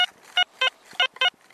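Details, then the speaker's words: XP ORX metal detector, high frequency coil, 14 kHz factory presets: short beeps flipping between high and mid tone, meter jumping 80, 72, 65, on a deep coin about 8-9 inches down; unstable target tone. "the high to the mid tone and I'm getting about 80 on the meter 72 65 its jumping around quite a bit actually"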